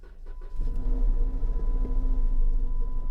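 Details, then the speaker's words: Car at auction, about 160,000 miles; engine catches then settles into a lumpy, uneven low rumble with no steady beat, running very poorly after start, possible mechanical problem. "Oh, that did not go well at all. She ran, but she ran very, very poorly."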